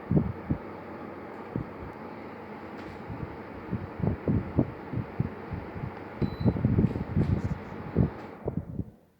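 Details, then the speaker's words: New 12,000 BTU heat pump air conditioner, fan on high, thermostat set to 72°F/22°C in auto mode: soft steady airflow hum with light clicks winding down and fading to quiet as the unit cycles off normally. "and look at that just turned off because it's on it's on auto mode actually it's still on"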